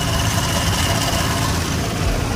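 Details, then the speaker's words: Car idling with AC not cooling: loose, loud rattle over the hum from the AC compressor area, plus a whistling leak; owner plans to vacuum the system and suspects the compressor may need replacing. "vacuum it down and then see if it gets cold in there but as of right now it's not and plus the ac compressor is making a loud noise so i may just have to get an air compressor"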